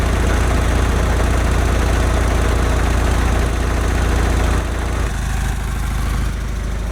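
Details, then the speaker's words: 1991 Honda Prelude Si after fitting new NGK spark plug wires and plugs: low, lumpy idle that surges, shakes and feels about to stall, stumbling a few times a second; misfire persists, cause not yet found. "Nope, I think still misfiring. Nope, idle surge. This is how low it idles. A rough idle, shaking very. It feels like it's about to stall is what's happening."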